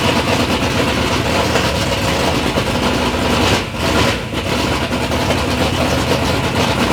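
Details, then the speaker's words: Third-gen Camaro with big-block Chevy V8, first start-up after years of building: strong, even big-block rumble holding a steady idle with a brief dip midway, no ticks or knocks; normal, healthy idle. "but initially we got to hear the motor run sounds good"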